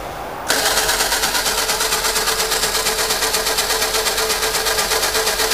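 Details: 1952 Fordson E83W pickup with 100E engine, stored since 1982, freed after being seized, with two stuck pistons and two stuck valves; first start attempt with choke; quick, even chugging near three beats a second over a steady starter whir, never catches.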